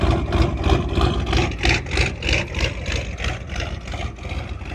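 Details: Old IDI diesel truck with upgrades, first start in about a year after winter storage, glow plugs at full heat, overly fueled: steady diesel clatter at idle with no misses; normal, healthy idle.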